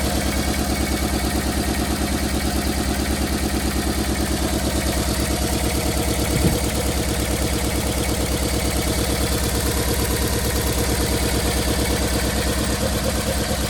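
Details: 1990 Toyota Corolla LE sedan, 4A-FE engine, at idle: steady idle with a regular uneven stumble about three times a second, lumpy and hunting; persistent misfire, blown head gasket suspected, not confirmed.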